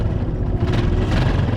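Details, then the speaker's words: Small motorcycle that ran out of engine oil and had a broken tappet rocker, after repair and refill: steady even idle thump with no tappet ticking; noise gone, normal idle. "अब sound check करने के बाद silencer के पास हम कैमरे को ले जाएंगे इसका धुआ चेक करेंगे आवाज इसकी बंद हो चुकी"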